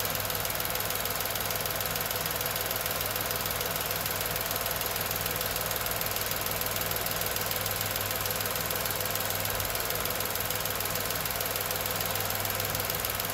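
Quiet, even idle with a light steady tick at about three per second and no irregular knocks; normal healthy idle.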